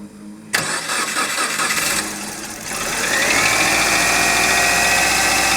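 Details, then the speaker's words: Subaru engine started cold after sitting overnight, knocking for over three years while still driving: catches to fast idle with steady light tapping about three or four a second over a rising whine; cold-start knock. "вот он стоит и он стучит уже больше трех лет то есть стучал стучит продолжает стучать при этом едет и абсолютно без разницы"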